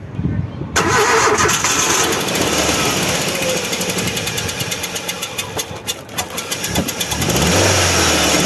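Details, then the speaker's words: About 2005 Ford Focus Zetec Rocam 1.6 8V after severe overheating from a burst hose, coolant in oil: cranks, catches, then lumpy unstable idle with irregular chuffs like two or three cylinders, metallic noise when revved; blown head gasket and broken piston. "suena el motor como a tres cilindros o dos cilindros bueno la cosa es que el motor está inestable y tiene poca fuerza"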